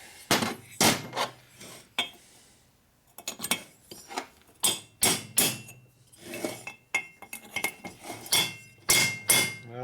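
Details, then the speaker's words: 1958 Harley-Davidson panhead 74ci FL/FLH cylinder head rebuild: sharp metal taps each leave a clear lingering ring, no dull thud; normal tap-test ring of a sound part. "a good one there that's how they're supposed to sound"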